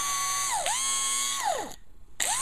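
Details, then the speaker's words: Fuel pump for an Audi A8, bench-run before installation: high pump whine keeps dropping away and restarting with half-second dead gaps when shaken; the pump cuts in and out, possibly a loose connection. "yeah I think when I shake this it cuts in and out"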